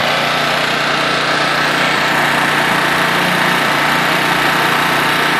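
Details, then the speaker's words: Honda EX800 generator (800 W max, 700 W continuous) after a tune-up, governor adjusted to raise output from 50 Hz toward 60 Hz: smooth, even buzz at steady governed speed, no surging or knocking; normal running. "pretty quiet not bad maybe I should test it out let me grab some tools hi boys she seems to be running good"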